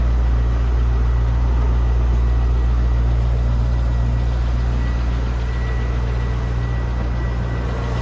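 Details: 2002 Chevrolet Corvette C5 Z06, stock LS6 5.7L aluminum-block V8 after start-up: smooth even low rumble with steady beat, no weird noises, lifter tick or rod knock. Normal idle.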